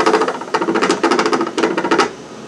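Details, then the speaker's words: Raise3D Pro2 Plus 3D printer after a clogged hotend: sharp rapid clicking in short bursts as the extruder skips and won't extrude; suspected bad driver, wire or motor, not confirmed. "yeah this thing is really screwed up either the driver's messed up or the one extrude I don't think I feel like there's a I can hear it clicking"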